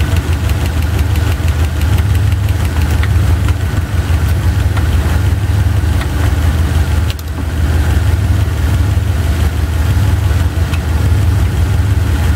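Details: Chevy 350 V8 idling with driver-side valve cover off during running valve lash adjustment: light irregular ticking over the rumble as a rocker is backed off loose, then tightened a quarter to half turn until clacking stops.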